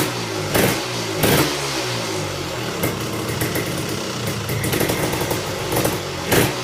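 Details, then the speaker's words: Tecate KXT250 two-stroke, nearly cold start, new coil and fuel petcock, gas poured into carburetor: crisp running with sharp throttle blips and steady idle, no misfire; runs normally, may bog when throttled. "it runs ok it idles all right throw some more gas in here it idles"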